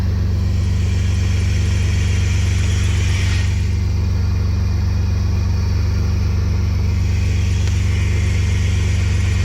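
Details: Chevrolet Astro van with engine fault, low coolant and no heat, after refitting unplugged sensors: steady, even low rumble with no knocks, misses or surges; engine runs smoothly.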